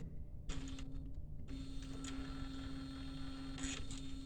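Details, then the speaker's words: Epson A3+ based UV printer: small motor hums steadily with a few dry clatters as the head-carrier shaft lifting mechanism gears skip, misaligned sprockets not catching, so nothing rises. "the gears are not catching the lift over here"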